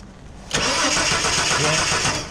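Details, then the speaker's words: 1983 Ford XE Falcon 4.1L Crossflow EFI, sat for years, ex-LPG wiring: cranks steadily with brief uneven catches, never runs; spark confirmed with test plug, but fuel pump makes no noise despite reconnecting disconnected wires. "okay well there were some wires that were disconnected we should have checked all this sort of stuff but anyway we've connected up we want to see whether the pump fires no no noise"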